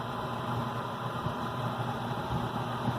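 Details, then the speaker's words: Gas furnace heating during pre-winter inspection, humidifier valve trickling water over its pad: steady even blower rush with soft low hum, no knocking, scraping or squealing; furnace performing well. "so this furnace is working pretty good so i'm happy with the performance"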